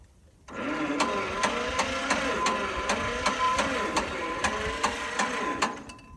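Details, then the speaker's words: John Deere Model 50 tractor, roughly 1955-56, sat about 15 years, weak dead battery; slow uneven cranking near three beats a second, never catches; owner suspects flooding and wants a new battery. "Yeah, if we had a new battery, it sure would be nice. This one's dead."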